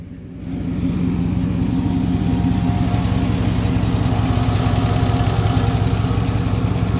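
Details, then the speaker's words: 2002 Toyota Camry bought needing head gasket and head, just restarted after breakdown on freeway with overheating: steady idle with fast light tick over engine note; ticking top end, cause unconfirmed. "and it does have that weird weird tickety noise"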